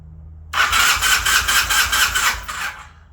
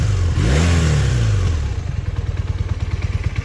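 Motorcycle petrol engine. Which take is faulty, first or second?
first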